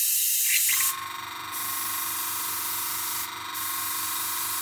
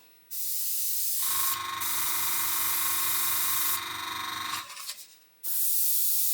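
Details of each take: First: Gaahleri Mobius TG 0.5 airbrush: steady high hiss of air with compressor pulsing underneath but no paint flow, only air passing; owner suspects paint too thick and plans to thin it or raise pressure. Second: Gaahleri Mobius TG 0.5 airbrush after the paint was thinned to cure a no-flow problem: even hiss in steady bursts with clean starts and stops over the compressor hum, now spraying properly.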